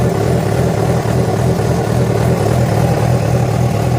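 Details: Yamaha FZ6 revving after riding ~70 km on two cylinders from a failed ignition coil connector: a busy, uneven mechanical clatter of about three beats a second; a strange engine noise of uncertain cause.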